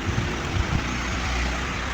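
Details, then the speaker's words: Panasonic 15 in (40 cm) stand fan after repair of a humming fault, running on speed setting one; steady, even rush of air with low hum, no rattle or grinding; fan runs normally. "Maririnig niyo naman ang pagaspas ng hangin. Yan oh. Number one pa lang 'yan."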